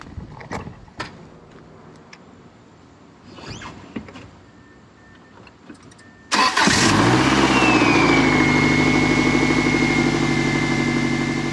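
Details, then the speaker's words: 1999 Subaru first start after engine install, no coolant, brief run: cranks a few seconds, catches around six seconds, settles into steady even idle with no knock, much smoother than before; slight smell from assembly lube burning off. "How's that sound? Sounds knocking. No, it sounds good, I think. Definitely a lot smoother than it was before."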